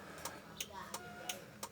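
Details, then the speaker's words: 1994 Toyota Kijang Super G, used-car inspection, hazard lights switched on inside cabin; crisp sharp ticks about every third of a second; hazard flasher relay working normally. "pertama kita akan periksa hazardnya seperti ini"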